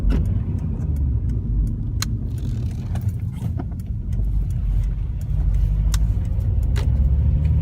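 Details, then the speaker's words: 2006 Acura TSX at idle before repair, car shaking: rough, uneven, lumpy low beat from a dead cylinder. Engine misfire, suspected ignition coil or spark plug. "Ah, sounds awful. Oh, that thing's shaking. That's how badly that's misfiring."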